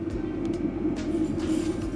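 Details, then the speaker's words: Autoterm 2D 2 kW diesel heater, underslung beneath a VW Transporter, firing up for the first time on a battery lead at 25 °C: steady mid-pitched burner hum with soft fan whirr and no sputter or pops. Louder than usual; no smoke; burning cleanly. "Doesn't normally sound that loud when you fire it up when you're camping. But all we've done is just hook the lead up to a battery and the remote is set so it will fire up even at this warm temperature today."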